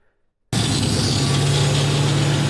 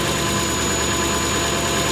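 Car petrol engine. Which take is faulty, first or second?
second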